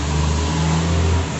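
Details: 2006 Chevrolet Cobalt LS, repaired no-crank/no-start from a sulfated 50 A fuse connection: short clean rev with deep, even rise and fall, no misses or rattles; engine pulls smoothly and sounds healthy.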